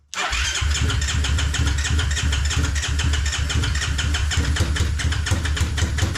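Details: Kawasaki KFX450R ATV that won't electric-start, started after a battery charge and fuel-pump priming: the single cylinder catches right away but runs lumpy and choppy with no steady idle. Later found a slipped keeper had raised a tappet (clearance issue) and an aftermarket CDI caused idle problems.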